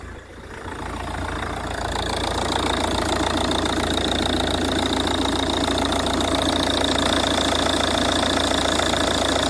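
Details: Ford Kuga MK1 AWD 2.0 TDCi (replacement engine) after auxiliary drive belt replacement: steady even diesel idle, previous front-engine clatter gone, no knock; normal idle.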